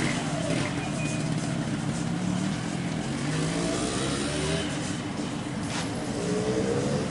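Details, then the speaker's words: Late-2006 Yamaha RX King two-stroke, after its smoking oversize-200 cylinder block was swapped for an original small-oversize block. Even buzzy idle that picks up cleanly on each blip, no misfires or knocks; engine smooth. "Oke, teman-teman, jadi untuk mesin sudah halus."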